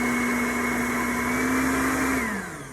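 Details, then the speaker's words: Popper coffee roaster after fan motor replacement (the old motor's speed fluctuated while roasting), tested after reassembly: a steady, constant-pitch motor whine with no surging, then a smooth spin-down; the new fan motor runs normally. "sounds good so that's it"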